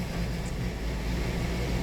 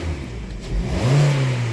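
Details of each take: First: 2018 Hyundai Sonata 2.4 L with knock sensor code P1326 and knock detected on cylinders: deep drone with an uneven, lumpy beat and irregular surges; the engine is running rough, cause not yet clear. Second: Hyundai/Kia petrol engine with code P1326 (knock detection TSB) cleared, snapped from idle while listening for rod-clearance clunk; revs up smoothly and settles back with no knock or clunk, normal throttle snap, no rod knock.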